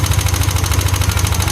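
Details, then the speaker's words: Yamaha Aerox scooter at idle before repair: severe fast, sharp ticking about twenty clicks a second over the low engine throb; suspected worn rocker arm bearing, possibly a small noken as (camshaft) bearing; worn rocker arm bearing. "Nah sebenarnya kalau untuk suara dasar kayak gini tu ngeleteknya tuh parah ngeleteknya itu parah"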